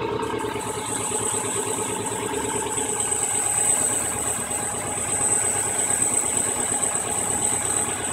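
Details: Subaru EJ22 engine with rough, lumpy idle, loose rattle and irregular surging for weeks; caused by a bad mass airflow sensor connection, pressing on the MAF housing smoothed the idle and a replacement sensor fixed it.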